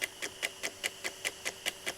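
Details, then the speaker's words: Technics RS-T80R double cassette deck, tape playing in one direction: sharp steady high-pitched squeak about five per second, silent in other direction; both decks affected, suspected worn gears in mechanism. "you can hear squeaking noise which is not present if we if we change directions."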